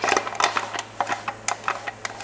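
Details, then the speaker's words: Porsche 944 gearbox (transplanted from a 250 diesel car), out of the car and turned by hand on the bench: uneven clicks and clunks every few tenths of a second, third gear failed with its teeth broken off inside. "is something inside of the transmission that is not happy"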